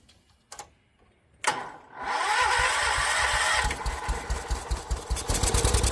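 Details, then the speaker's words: John Deere 314 garden tractor, Kohler K321 single-cylinder engine after a full rebuild, was burning oil: it catches and settles into a steady, even thumping idle with no knock or misfire as it warms up; runs fine. "Uh that was all pretty wet with oil, but sounded good."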